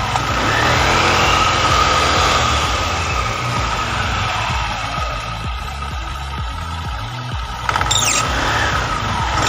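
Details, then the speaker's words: Carbureted Honda Vario 110 scooter, CVT just reassembled with upgrade parts; thin steady whistling over revving engine from new clutch linings not yet matched, expected to vanish after about 2000-3000; CVT whine, not bedded in. "deskripsi ya yang suara sing-sing tuh nanti bakalan hilang pusingnya 2000/3000 karena bersuara dari partneran itu biasanya belum sesuai menjadi kayak ada suara suling"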